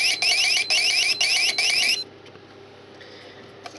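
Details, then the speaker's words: Cheapest mini keypad security alarm, with brand-new batteries, triggered after its exit countdown: a thin, quiet high warbling siren in short bursts. It is deadly quiet even on panic, so the unit is faulty. "this one is faulty it's not loud at all and it's got brand-new batteries and it is deadly quiet"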